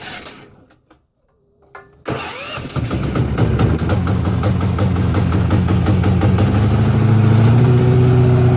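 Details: Harbor Freight Predator engine on a small carpet-cleaning truck mount build, started early in the morning with choke on: brief cranking catches quickly, then a steady low-pitched run that climbs slightly and settles, a normal cold start.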